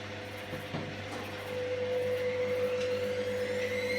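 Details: Candy GVS169D3/1-80 Grand O Vita 9kg washer after motor-controller triac replacement fixing error E09: empty drum spinning quiet and well balanced, steady motor hum settling to even tone, no thumping or rumble; normal.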